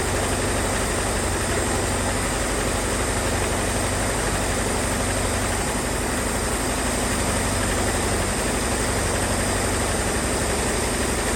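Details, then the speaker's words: 1978 Ford Mustang 2.3 four-cylinder running for the first time in decades with a new aluminium radiator, smoothing out after a vacuum leak was fixed: steady idle with a rough, fluttering rasp from the front; the alternator belt is loose. "start to kind of smoothing out throughout me running it, besides that loose alternator belt that's making all that noise up front."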